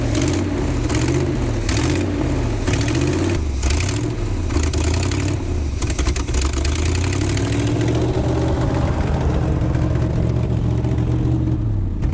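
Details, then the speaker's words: 1976 Chevy C30 dually V8, long-sitting, running on old gas sucked up: engine stumbles and surges as throttle is worked, uneven misfiring beat; rough running, owner thinks it needs a tune-up, cause unconfirmed. "In my professional opinion, I think it needs a tuneup."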